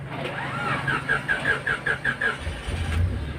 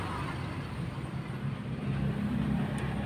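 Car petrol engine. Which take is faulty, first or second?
first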